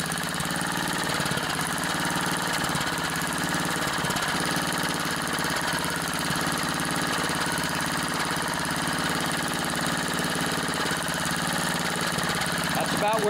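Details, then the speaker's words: Tecumseh 3.5 hp edger engine, sat too long, on new cheap aftermarket carburetor being adjusted at low-speed screw; slow steady idle, even beat, no misses; normal idle, though carburetor soon leaks and floods. "so it's running right now but i'm going to keep a close eye on this carburetor and i'll report back if it fails"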